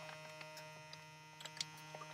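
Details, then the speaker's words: Small USB-powered vacuum pump from a filament storage bag kit, run off a power bank, sealing a bag: quiet, even electric buzz with light ticks, pulling down steadily without strain; normal suction. "You can hear and watch it, how it shrinks. This is more than enough suction."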